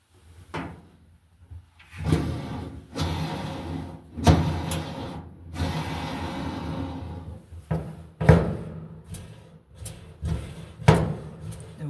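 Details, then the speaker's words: Samsung dryer, drum removed, rear support rollers spun by hand in short gritty bursts; one growls much rougher than the rest, the worn roller that was making all the noise; all 4 rollers being replaced. "I'm pretty sure that's the one. Hear that? That's the one that was making all the noise."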